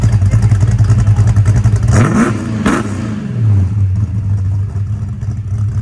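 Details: 1966 Pontiac GTO convertible V8 after white-smoke diagnosis and repair: deep, even burble, quick throttle blip climbs and falls back cleanly with no stumble or miss; slight blue smoke judged as contamination burning off, no white cloud; running healthy.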